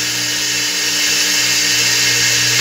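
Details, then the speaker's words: Customer's single-phase motor with pulley, run via reversing contactors (16 A at 220 V, 32 A at 110 V): steady hum with harsh hissy high-pitched whir throughout, bad bearing. "O motor vai fazer um ruído, porque o motor, ele tá com rolamento ruim. É o motor de um cliente."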